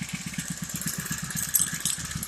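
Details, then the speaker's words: Honda GXH50 49cc four-stroke, unrestricted with Honda flywheel and ignition coil, idling: quick even low popping at about eight firings a second with no misses or knocks; smooth healthy idle. "Dude, that thing sounds good. How'd you tune that?"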